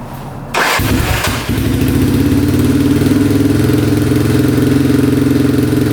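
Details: 2002 Yamaha Warrior 350 single, now on a battery: starts right up, steady even thump, no knocking; still smoking a little, running pretty good.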